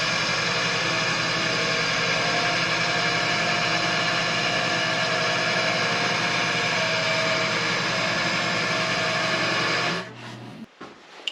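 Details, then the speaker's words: Old air compressor, roughly mid-1980s, test-run before reassembly after a tank hydrotest; an even hissing rattle at constant speed for ten seconds, then it shuts off cleanly, running normally. "okay so now that we know that it works we can fully put it back together"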